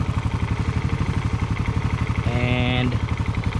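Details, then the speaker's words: Suzuki Raider FI idling after its exhaust pipe stud bolts were replaced with stainless ones: even, regular exhaust pulses about four per second, with no puffing or ticking at the pipe joint and no leak felt at the side. The exhaust is sealed. "All goods. Ibig sabihin, tama yung ginawa natin. Walang singaw."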